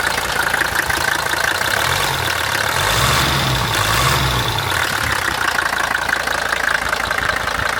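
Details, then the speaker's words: 1981 Mercedes-Benz W123 300D taxi, five-cylinder diesel, four-speed manual, about 1 million km: even diesel clatter at steady idle with no misfire, rough patch or extra knock, a healthy-sounding engine. Injector pressure and compression checks are still planned. "No piękna sprawa, naprawdę zarąbiście brzmi ten silnik."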